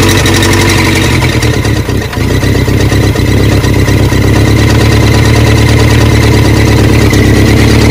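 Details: Barn-find 1979 Honda Prelude (sat for years) on its first start, fed gasoline from a water bottle. Loud idle with a heavy, deep knock about four per second from the bottom end. Owners say rod knock, suspected reason it was parked.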